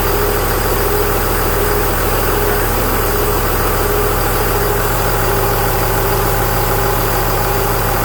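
Steady diesel idle with a faint thin whistle riding on top; that's the A/C compressor blowing through open lines with its clutch stuck on.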